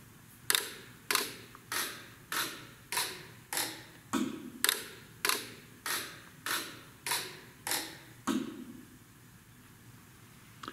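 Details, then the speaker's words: Bendix ABS/ATC/EBS trainer board chuff test, which puts air through the ABS modulators: thirteen crisp, even air chuffs, about one every 0.6 seconds, over a quiet background. The modulators cycle normally. "the chuff test is a test that is actually going to put air through the modulators so again we'll click on start"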